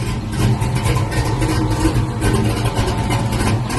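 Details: Box Chevy with freshly built new engine: deep even note rising and falling cleanly with throttle, no knocks or ticks; runs healthy.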